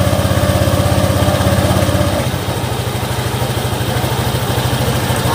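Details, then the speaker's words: Scooter after CVT service (new drive belt, rollers, clutch shoes, pulley greased with heat-resistant grease): even steady low putter at idle, no rattle, slap or grinding from belt side; very smooth, transmission healthy. "Kita dengerin suaranya nih guys. Anjay, halus banget guys."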